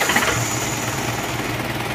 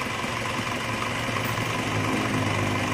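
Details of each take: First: Isuzu Panther diesel as it arrived, before repair, engine already warm: rough, clattery chatter with fast uneven beat and hissing breath, thick smoke blowing, oil being consumed; heavy blow-by. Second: Isuzu Panther diesel rebuilt for heavy blow-by: new liners, pistons, bearings, reground crank, seals, gaskets and all water lines; just started, not yet adjusted. Steady idle with even low thrum and light tick at each firing, no knocks; normal idle.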